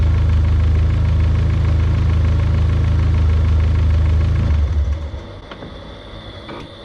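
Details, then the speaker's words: Turbocharged built engine on 20W-50 oil, recorded next to the intake pipe: a steady idle cuts off, leaving a faint high whir as the ball-bearing turbo spins down for about 8–10 seconds, a normal sound. "when i stop the engine the turbo keeps spinning you can kind of hear the ball bearings in there they make like a distinct sound"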